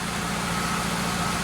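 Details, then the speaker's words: Chevelle after fixing the oil pressure warning light that was always off: on start-up the light goes out as oil pressure opens the switch, with a smooth, even low idle rumble and no knocks or ticks; normal idle. "start it up all pressure light goes out the oil pressure is overcoming the oil pressure switch keeping it open"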